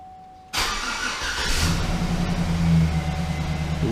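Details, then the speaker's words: 2008 GMC Sierra 1500 5.3 V8 after replacing a failed AFM lifter, first start after sitting a week: fuel pump hum, then quick start and smooth steady idle, no ticking or exhaust leaks. "sounds good all right all right we're good sounding good I don't want myself out of the truck I don't hear any exhaust leaks"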